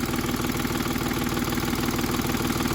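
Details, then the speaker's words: 2010 Volkswagen Touareg that broke down while driving, idling lumpy and uneven with a loping pulse and missing beats, cutting out when throttle is touched; one cylinder bank contributes, the other is not firing. "I'd show you where we're at and what exactly is happening to this thing this bank is contributing but this bank is not"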